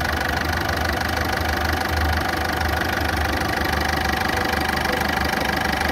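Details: Ford Fiesta; steady idle with quick regular tick about three per second and coarse, loud tone; ticking and rough running engine, cause unknown.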